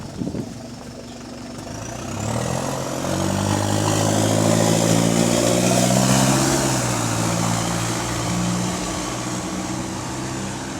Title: Exhaust Leak | GAL SE152 On Bus Route 386 Part 3 (17)